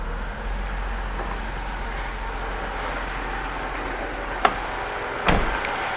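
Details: 2002 Mercedes-Benz C240 after a no-crank no-start from dead battery, fixed by replacing blown fuse 52 (15 A swapped for 20 A): steady even idle hum, no misses or knocks, a couple of door clicks; running fine.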